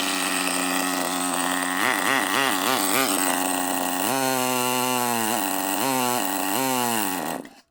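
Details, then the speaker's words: Traxxas nitro rally RC car after replacing an O-ring that had caused power loss and stalling, plus new servos: small nitro engine buzzes high and clean, revving up and down repeatedly without bogging or stalling; normal running. "Alright guys, I changed the O-ring and it is running a 1,000 times better. It actually stayed on. It actually was not losing power, wasn't stalling out like it was before."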